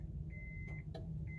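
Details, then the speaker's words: 1999 Honda CR-V with very high mileage, during crank-no-start diagnosis at key on: over the key-on chime come a couple of sharp, faint clicks of the fuel injection/fuel pump relay, likely under a dash panel; the relay switches normally. "light on off and you hear that audio click so that's the uh fuel injection relay or fuel pump relay"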